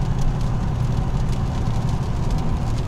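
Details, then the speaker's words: 2002 Lexus LS 430, 312,000 km, driving after timing belt replacement: steady low road rumble and tyre roar, no knocks, ticks or whines; tyres seem noisy, and the noise rises on coarse-grain asphalt; normal driving noise. "Единственное, я думаю, шины шумные. А так вообще будет очень тихая машинка."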